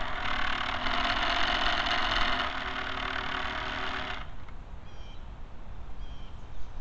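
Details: Camera barge first test run with a two-axis gimbal on top. A loud, rough rattling hiss rides over the motor for four seconds, then stops at shutdown; the dog-bone motor-shaft couplers are noisy and are to be replaced with flexible hose couplers.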